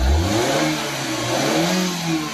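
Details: Maruti Suzuki Eeco on CNG with codes P0133, P0130, P0171, after clearing a choked silencer/catalytic converter that caused poor pickup and starting trouble: engine revs up cleanly and drops back smoothly with even, unrestricted exhaust note, no hesitation; normal revving.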